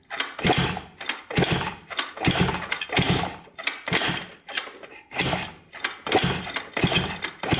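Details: 1980 Honda CR250 dirt bike, reported no spark, kicked over after fitting a coil while checking for spark with the plug grounded to the head: repeated kicks about once a second with no firing. Cranks, no start; no spark seen.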